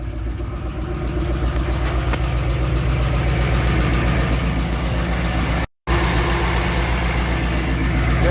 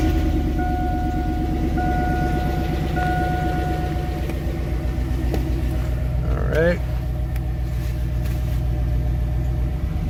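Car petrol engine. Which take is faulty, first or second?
first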